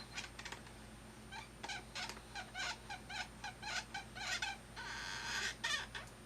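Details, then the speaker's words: Thrustmaster rudder pedals giving short high-pitched squeaks on each press and release; the pedal moves side to side and rubs where it intersects the housing. "all right so I seem to found the problem the pedal can move a certain amount left and right and where intersects with this and this my gets rubbed up next - it seems like noise yeah"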